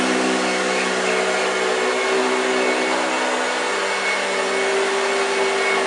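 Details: 1965 Hoover Junior 1334A upright vacuum, full flat demo on carpet: a steady high motor whine with an even brush growl and no rattles or surging, so it is running normally.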